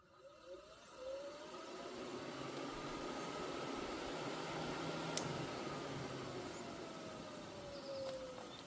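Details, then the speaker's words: Cooling fan motor bench-tested with direct power from an Autel PS100 tool: smooth spin-up settling into a steady, even hum with no scraping or ticking; fan turns freely and works normally, fuse intact. "Okay. So, we hearing the fan running."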